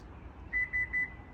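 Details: Subaru Ascent rear power hatch that had been jammed shut: three short, even high-pitched beeps about a fifth of a second apart with no motor sound after; the hatch unlocked but did not open until pushed.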